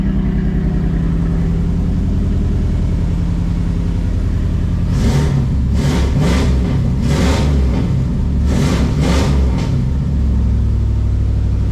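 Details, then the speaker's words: 1985 Pontiac Trans Am engine, regasketed, newly fitted 3-inch exhaust, timing not yet set: deep steady idle, then quick revs rising and falling cleanly; running all right. "bad it's running all right shut it off before I can't breathe in here though"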